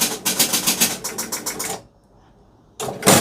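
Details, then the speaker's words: Gottlieb pinball with door open, playfield moved: fast relay chatter about eight clicks a second, pause, more clatter, drop target thumping; game starts itself because the coin lockout relay wire came off and shorts. "So it started a new game. See, it started the game all on its own. He didn't push the button. And the drop target is thumping and there was a relays clicking."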